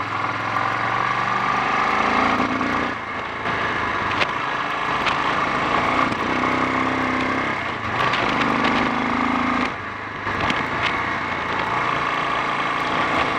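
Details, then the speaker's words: Honda XL 350 single-cylinder on a test ride, engine recently repaired for a blown head gasket: note crackles and stumbles, revs sag under throttle instead of climbing cleanly; bogging and misfiring on acceleration, handling also poor. "I think we've gone far enough based on both the handling and the spluttering."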